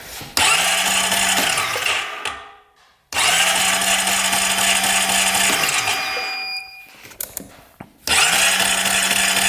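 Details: 2008 Honda Rancher 420 ATV with no spark, cranked during a pickup-coil peak-voltage test reading 0.1: steady high starter whir in long cranking bursts with a constant low drone, never catches; cranks but will not start. Pickup coil judged fine; new coil suspected.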